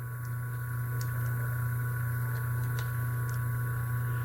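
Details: Motor (original run capacitor 25 µF) on a far-too-small 3 µF run capacitor: a loud, steady low mains-pitch hum with the motor barely turning. Current stays high, only the auxiliary-winding current drops, and the motor keeps droning.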